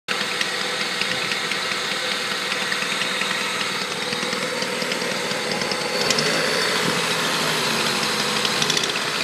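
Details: Honda Civic D16Z6 with newly replaced head, valves adjusted and timing belt correct: light irregular ticking about four per second at idle, faster at high rpm, absent when cruising, seemingly from cylinder 4; cause unknown.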